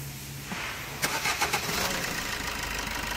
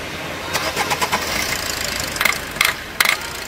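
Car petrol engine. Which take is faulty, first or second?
second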